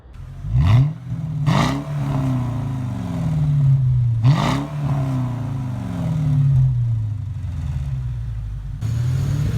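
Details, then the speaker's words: 2002 Mercedes E430 (W210) V8 with the rear muffler cut off, everything else stock. A loud, deep burble swells with each rev blip, with a heavy low boom that droned on the highway; the muffler delete was later removed. "it did sound nice and I I I could live with it cuz I didn't really drive too much on the highway at the time but yeah I did drone"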